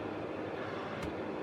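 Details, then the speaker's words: Renovated 2 kW Hyco FH201 fan heater after cleaning, running: soft, steady, airy rush with an even fan hum and no rattle, tick or rubbing, pushing air very gently; the thermostat seems unreliable, but the fan runs healthy. "Well, it's suffice it to say, it is pushing the air very, very gently."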